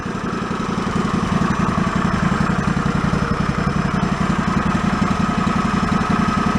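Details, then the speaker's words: Yard-sale John Deere riding mower after fuel pump reinstalled, previously flooding and stalling after about a minute: small single-cylinder engine holds a steady even idle with regular chuffing, no hunting or stalling, running about eight minutes without flooding. "it's been about eight minutes or so it's been running without an issue so the initial problem of it flooding over is not happening"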